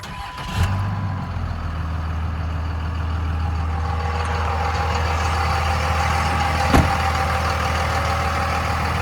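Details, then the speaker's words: 2001 Dodge Ram 2500 4x4 with a 5.9 Cummins diesel at 90,412 miles, fully serviced; after a quick crank it fires at once and settles into a steady, even idle with no knocks or misses: normal start and idle. "Let's go ahead and fire this Cummins up so we can hear it start."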